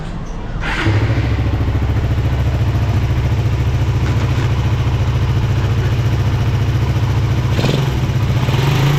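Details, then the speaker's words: Suzuki Satria FU single-cylinder idle with light rapid tik-tik tick over each beat, like valves clattering; shim-type valves not adjustable, fixed by replacing shims; valve tappet ticking. "Jadi ada suara agak kasar sih. Jadi suaranya seperti klep bunyi."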